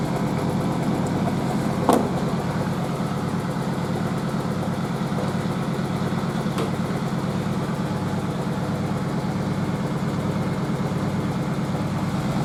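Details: Merloni Electra WD1100 washer dryer, 50°C non-colourfast cotton unbalanced load test: loud steady spin drone with heavy rhythmic thump about 90 a minute, no drum banging. The stiff suspension rocks the machine; unbalanced load during spin.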